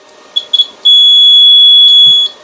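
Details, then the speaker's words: Battery pulse repair charger with clamps connected in reverse: two quick high chirps then steady shrill tone over a second, display reads 0 volts; reverse polarity warning alarm. "พอคีบผิดขั้วจะมีเสียงเตือนนะครับมีเสียงเตือนแล้วก็หน้าจอก็จะเป็น0โวลต์นะครับให้เรารู้ว่าตอนนี้ผิดขั้วและมีเสียงเตือนด้วยนะครับ"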